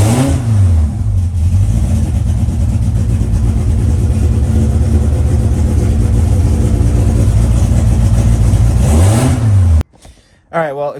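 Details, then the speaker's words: Mitsubishi engine cranked without ignition after swapping solid lifters for new hydraulic lifters: uneven, lopsided cranking beat as if down a cylinder. Owner suspects no oil in two lifters, compression test planned. Low compression in one cylinder. "it cranking it sounds like it's down a cylinder which either is there's no oil in maybe two of those lifters"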